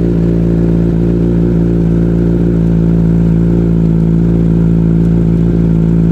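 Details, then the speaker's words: Motorcycle chain just sprayed with lube, engine run about an hour to spread it along the chain: steady even engine drone with rear wheel spinning, no chain slap or grinding, chain noise very low; normal running chain drive. "Sau khi phun, chúng tôi cho động cơ chạy khoảng một tiếng để phân phối đều dung dịch dọc theo dây chuyền. Như các bạn có thể nghe thấy, tiếng ồn của dây chuyền rất nhỏ."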